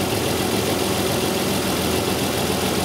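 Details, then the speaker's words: 2002 Isuzu Rodeo LS 3.2L petrol V6 idling just after start in open loop, with severe bank 1 misfire complaint; exhaust leaks make the engine a little noisy, giving a raspy, puffing edge from leaking exhaust joints. "now it has some exhaust leaks so the engine's a little bit noisy"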